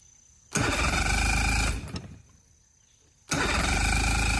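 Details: Mercury 3-cylinder 2-stroke 60hp outboard: two bursts of even rapid cranking, turns freely but never fires; compression 120 on all cylinders, one cylinder sparking, shorts in wiring; owner suspects CDI box or coil packs.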